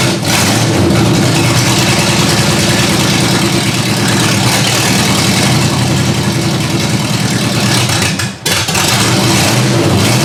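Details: Ford Granada V8 after sitting, open headers: loud lumpy idle, uneven beat hunting slightly, barely holding idle; rough idle.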